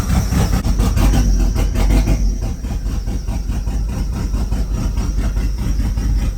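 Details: Turbo Chevrolet Cavalier on restart after swapping the spark plug wires. A deep, lumpy idle stumbles and shakes unevenly, suggesting a misfire; the plug wires are suspected to have been mixed up.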